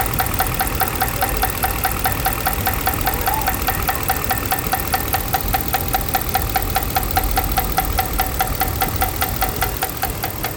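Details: 2012 Ram 5.7 at idle: steady idle with a sharp, regular engine-timed tick about two or three a second; source not pinned down.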